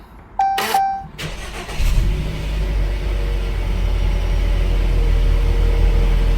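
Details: 2018 Jeep Cherokee with intermittent hot no-start, after throttle body cleaning and relearn: short beep, brief crank, fires at once and settles into a steady smooth low idle with no stumble; healthy start.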